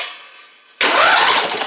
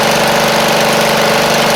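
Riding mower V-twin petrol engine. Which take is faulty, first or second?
second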